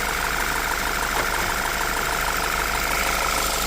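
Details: 2014 Audi Q3 2.0-liter petrol: steady idle with faint constant high whine from charging side, no misses or knocks; alternator control and battery voltage supply check good, charging normal.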